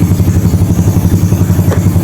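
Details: Yamaha Mio Soul carbureted scooter warming up after sitting a week, fresh valve grind and new valve stem seals; compression unchanged at stock. Quick, even putter about eight beats a second at settled idle, no ticking or misfire; normal idle.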